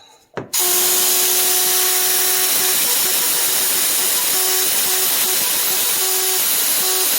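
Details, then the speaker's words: Hitachi NV45AB2 roofing nailer with air connected: pushing the trigger gives a loud, steady, nonstop hiss with a faint whistle. Compressed air is leaking past the trigger valve, one of the worst of several units. "So I don't remember which ones were which, but they all had something up with the trigger that when you push on it, it would just hiss air at you. I think this is one of the worst ones."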